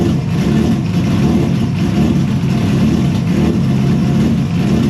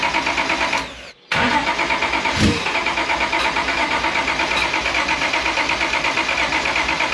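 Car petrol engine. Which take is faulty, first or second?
second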